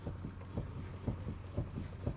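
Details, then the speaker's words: Lada Kalina steering rack knock: dull low thuds about twice a second as the parked car's wheel is rocked around the straight-ahead position. Knocks also occur driving slowly over rough dirt roads; not the steering shaft coupling, clamps or electric power steering. "значит проблема это стуки на неровные дороги особенные когда едешь по тихоньку по какой-то либо грунтовки у нас непонятные штуки"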